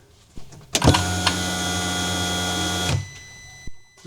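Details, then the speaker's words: UTV with new aftermarket fuel pump, key cycled off and on: steady electric hum about two seconds then clean cut-off as pressure builds, louder than the original, no leaks; new pump primes normally. "Turn the key off and cycle power again. It's cycling. It's pressuring up and then kicking back off."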